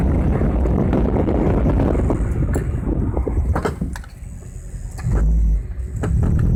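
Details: Honda Civic while braking and accelerating: several sharp irregular clunks over road rumble; suspension knocking, likely a loose suspension part.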